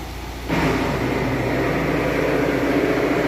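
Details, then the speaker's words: VW Amarok diesel at idle, recorded near the gearbox, transfer case disengaged: rough whirring grind starts when the clutch pedal is pressed to the floor and holds steady; worn pilot bearing, replaced after removing the dual-mass flywheel. "Olha o barulho que faz. Simplesmente a hora que nós pisa na embreagem lá. Ó, chega até o final, ela faz."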